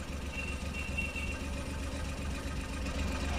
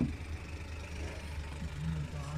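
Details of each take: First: 2014 Suzuki Every, three-cylinder, check-engine light blinking, code P0301: low lumpy idle with recurring stumble as cylinder 1 drops out; injector 1 pulse intermittently lost, traced to leaking valve seal inside engine. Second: 2014 Suzuki Every three-cylinder after fixing cylinder 1 misfire code P0301, traced to a leaking valve seal inside the engine: steady low idle with even unbroken rumble and no stumble, normal idle.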